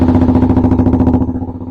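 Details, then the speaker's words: Kawasaki Ninja 125 just started after a clutch replacement and oil refill, with a loud short Black Widow exhaust: quick, even single-cylinder pulsing with no knocks or rattles; running sweetly, slight smoke from leftover oil or water. "it's all sounds like it's running sweetly the engine sounds very quiet a little bit of smoking going on there"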